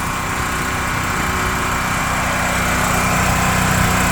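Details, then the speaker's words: Gas generator APU newly mounted on a Kenworth W900L truck, first run: the small engine holds an even, quick beat at idle with a smooth steady drone and no knocks or stumbles. Smooth and quieter than a diesel generator, healthy. "Running pretty smooth for a first run. Needs zero braking, but pretty quiet compared to a diesel generator."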